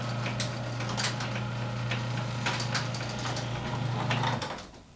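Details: Garage door fitted two years earlier with green hinge system and nylon rollers: even low motor drone with only light scattered roller ticks, then winding down; quiet and running smoothly.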